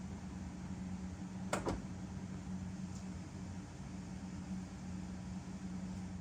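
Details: BMW E60/E63 M5/M6 SMG pump during the INPA bleed with CHF-11S fluid: steady low pump hum with one short clunk as the gearbox shifts. A healthy pump, a noise absent when the previous SMG pump was failing.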